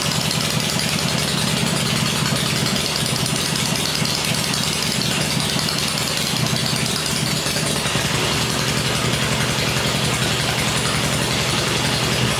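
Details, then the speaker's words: First run of a freshly rebuilt 96-inch engine with Edelbrock heads on an engine stand, with 40 psi oil pressure, gives a steady, even idle around 1200-1500 rpm with no knocks or misses. Normal idle. "first run it seems really quiet we're running 40 pounds oil pressure in it which is good"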